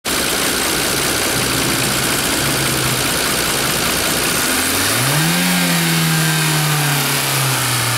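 A petrol car engine runs with a hollow, metallic tapping about four times a second, rising as it revs.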